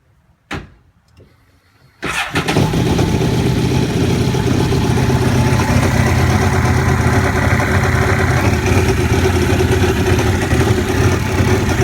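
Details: Aquatrax F12-X watercraft catches after a brief crank and settles into a rough, uneven idle with an odd noise, which sounds fine with a little throttle; abnormal noise at idle, cause unknown.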